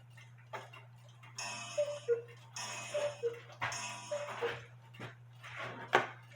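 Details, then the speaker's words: Cuckoo clock with the correct 320 gram weights replacing 450 gram ones; clear ringing gong strikes over steady ticking, no buzzing: gong strike properly adjusted. "Actually, that sounded pretty good, but I'm gonna bend the gong down just a little bit."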